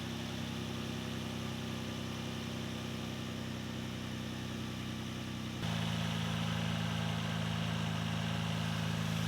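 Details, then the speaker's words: Nissan 350Z idling just after its belts were reinstalled and tensioned: steady, even idle with a smooth low hum that deepens slightly as an accessory load comes on. No squeal or chirp; runs fine. "all right so there we are run good everything's looking mighty fine"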